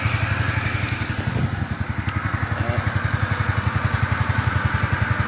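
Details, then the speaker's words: Ntorq scooter idling with a steady, even low thump after repair; the earlier engine rattle and ticking noise and the stalling are gone, the engine is quiet, and the CVT was also serviced. "so all good na to tahimik na yung makina nito"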